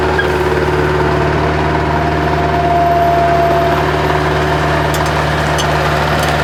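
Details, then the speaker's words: Bobcat 763 skid steer diesel, after fuel system repair following a year sitting with suspected water/rust in fuel: steady smooth idle, even low drone, no misses or knocks; normal idle. "it might be running that's good that's a good sign what do you think Buddy y we get it while it's idling smooth"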